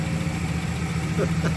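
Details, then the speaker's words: 1967 Plymouth Barracuda with a 273 LA V8 at 120k miles and a rebuilt Carter BBD carburetor, first start after 20 years with good compression. It fires right up into a steady, even low rumble with no misses or knocks, idling smoothly. "Wow. It's smooth. It just fired right up."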